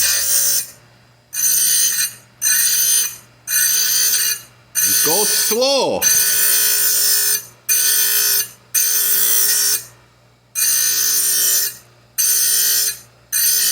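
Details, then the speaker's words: Oregon chainsaw chain grinder dressing wheel before grinding Stihl Hexa chain to round ground; even hissing scrapes about a second long, repeated rhythmically with short pauses as dresser is worked across the wheel. "because i've previously done this that is enough dress on this wheel"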